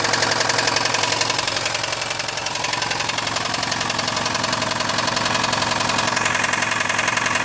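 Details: VAZ 2109/2115 engine running: fast, fairly even metallic knock of roughly four per second over a steady engine note; connecting rod knock suspected.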